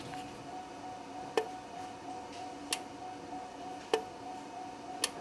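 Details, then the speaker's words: GMC/Chevy truck, 6.0L, code P0449: with power jumped directly to the EVAP vent solenoid, it gives sharp single clicks about every second as it is switched on and off. The control wire is good; the fault is in the solenoid's power feed. "so our solenoid is now clicking so what I'm doing here is I'm just turning this on and off listen good"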